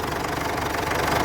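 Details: 2007 Ford Everest Gen2 common-rail diesel, after fixing its crank-but-no-start fault: it ticks over with a steady, even clatter and no misses or stumbles, a normal idle.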